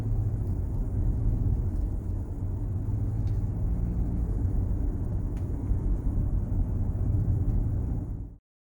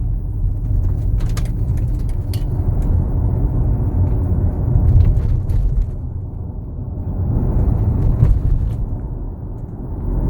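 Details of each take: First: Armored BMW X3 cabin while driving after interior trim adjustment: steady low road rumble with no clicks, creaks or trim rattles, where earlier the owner complained of much interior noise. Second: Armored BMW X3 on the road, in-cabin: heavy road rumble with scattered sharp clicks and ticks from loose interior trim, customer complaint; reduced after adjustment.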